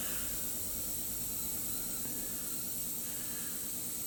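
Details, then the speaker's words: Shop heating system not bled after earlier work, heater cold and shop at 40 degrees: steady sharp hiss of air escaping the opened bleeder with no water yet; air-bound heater loop needs bleeding. "i forgot the other day i did some things and then i didn't bleed the system out so we've got to get some water to come out of this breather you can hear it"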